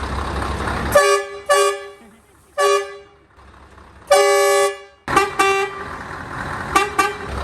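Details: Monster truck's newly fitted air horn, replacing a dropped horn whose small unit had failed, gives loud, clean, steady short blasts then longer holds with a full even tone: the horn works properly.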